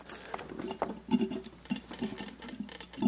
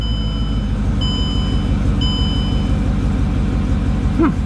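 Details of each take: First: Mercedes CLK55 AMG coolant refill with engine off: lower radiator hose squeezed back and forth, giving irregular gurgling bubbles and occasional soft pops as trapped air burps out and the coolant level drops; air trapped in cooling system. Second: Mercedes CLK55 AMG after full service and fuel system bleeding for a hard-start issue, test start not fully cold: steady even rumble with chime tones, no misses; healthy idle, further testing needed.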